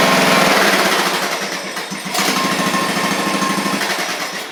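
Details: Craftsman riding mower under repair (broken deck spindle, bad-ground starter click), restarted after an oil check showed the level right at the add mark, before the deck is refitted: a quick, fairly even buzz at steady speed with no stumbles, so normal running.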